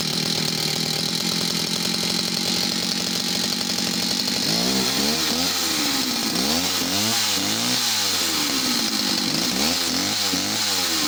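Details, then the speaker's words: Stihl 041AV chainsaw: fast buzzy idle, then revs rise and sag unevenly on throttle as if over-fuelled; bogging after throttling, owner suspects a poorly seating jet or inlet manifold leak. "so she will start up might be a fast idol and then if you throttle it a couple of times the the idling will get heavier and bogged down as if she's over fueled all of a sudden"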